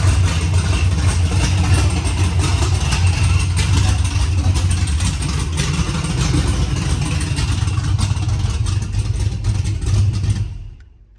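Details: LS-swapped C10 squarebody, 408 LS2 with 91 mm Torqstorm TS91R supercharger, first run on open headers with no exhaust, slight fuel leak; deep, loud, lumpy unmuffled rumble at idle. Loud idle on open headers.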